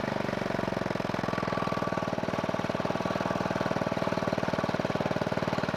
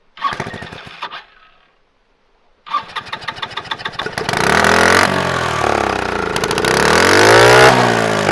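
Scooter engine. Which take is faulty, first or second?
second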